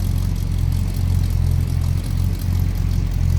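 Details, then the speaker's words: 1956 Chevrolet step-side pickup with a 350 V8, heard from behind the truck. Deep, steady, smooth low rumble at an even idle, no misses or knocks. Nice running truck; normal idle. "Slip around to the back here. An idea how it sounds. Nice little rumble out of that 350."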